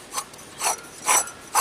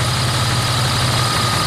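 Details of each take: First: 1999 Dodge Dakota 3.9L V6 Magnum, belt removed, idler pulley spun by hand: four rough, raspy grinding bursts; the pulley sometimes bound up completely and stalled the engine; idler pulley bearing failure, replaced with a Dayco 89048. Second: 1999 Dodge Dakota 3.9L V6 Magnum after idler pulley replacement (old bearings missing): steady, even idle with smooth low rumble and no squeak or chirp from belt; accessory drive healthy.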